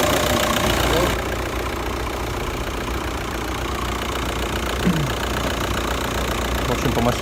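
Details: 2009 VW Touran 2.0 diesel, DSG-6, 118,000 km, at idle: uneven knocking rattle, three or four a second, coming and going from about 30 seconds in; worn dual-mass flywheel, clutches also worn and need replacing.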